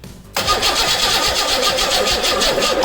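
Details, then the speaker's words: 1986 Pontiac Fiero GT after a new ignition coil was fitted; starter cranks at an even rhythm but engine never catches, still no spark, traced to a damaged wiring connector. "and still no spark at this point i'm already frustrated and now stumped"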